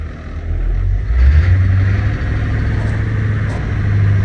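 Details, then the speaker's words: Old diesel bus at about 111,000 miles with 60 psi oil pressure: rumbling at a raised speed that hangs instead of settling to idle; governor sticking, expected to free up once it runs a while. "oh the governor is sticking a little bit as soon as it runs a little bit it'll free up"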